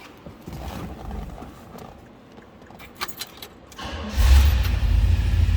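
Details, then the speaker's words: 1968 Oldsmobile 442 convertible, 455 V8 (365 hp per previous owner), Turbo Hydramatic 400 automatic, odometer 33,266: V8 catches at once and settles into a deep, steady, even idle; fires right up every time, healthy start. "Nice running car. Every time I've started, it fires right up."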